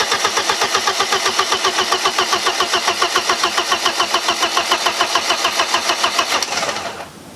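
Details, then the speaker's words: 1995 BMW E36 318ti turbo build, first-start attempt: fast even cranking for about six seconds with no firing. Owner suspected the disconnected one-wire oil pressure sensor, but the fuel pump just needed time to prime fuel to the rails. "i thought it was something to do with the oil pressure sensor but it wasn't it just needed time to prime fuel pump just needed time to push that fuel all the way up to the rails"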